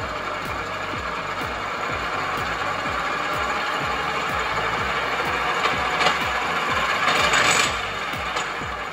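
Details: Tesla motor driving NP205 transfer case with Magnum drum underdrive on bench, low range, high gear, revved toward 4,000-6,000 rpm: rough rhythmic ticking and grinding about three per second over motor whine; cause unconfirmed.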